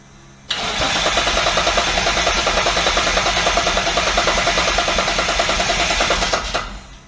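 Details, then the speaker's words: Twin-turbo Mitsubishi Triton with a 3.0L 6G72 V6, set to base ignition with crank timing at 0°. Steady, fast cranking at about 200 beats a minute for six seconds that never catches. It has spark and fuel. "Yeah, it's sparking. It's getting fuel. Yeah. Wonder if the map's so far off."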